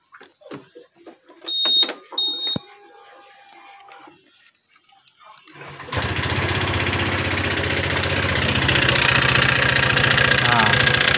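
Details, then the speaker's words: Honda PCX 150 scooter with a severe knock, idling with the CVT cover opened (slider wobbly, rollers slightly flat, CVT judged fine). A quick, steady metallic knock persists, so valves, rocker arm or cam chain tensioner are suspected next. Finding: piston slap from scored piston. "Ternyata masih ada bunyi ya, Teman-teman ya. Setelah kita buka semua ini dia masih ada bunyi."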